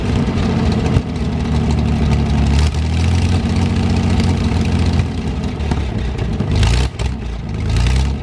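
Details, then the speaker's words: 1973 GMC 432 cu in V6 with five-speed Spicer, first run after about 5 years sitting, warmed up: deep steady idle with a couple of brief blips and no misses or knocks; slight smoke only at startup, cleared when warm; normal idle. "so either way it looks like we got a good engine it'll be a good spare doesn't smoke or anything like that a little bit on Startup but cleared off once everything warmed up"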